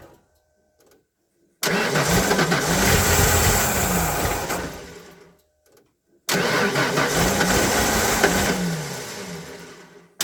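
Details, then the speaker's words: Derelict 1992 Ford Flareside on a cold day after fuel pump began circulating: two long cranking bursts with brief sputters that never catch; cranks, no start, pump not making enough fuel pressure to keep it running. "now i know the pump's doing something that just barely ended up making not making enough pressure to keep it running"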